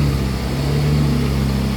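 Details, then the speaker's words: Yamaha Mio i125 scooter, hard to start and had to be pushed: idles with a low, uneven shaky pulse, a misfire and rough idle; throttle body/air adjuster suspected and to be cleaned, not confirmed. "125 may halo siyang gilig Guys may halong nanginginig Ayan oh halong gig parang nanginginig palado palyado siya yado talaga"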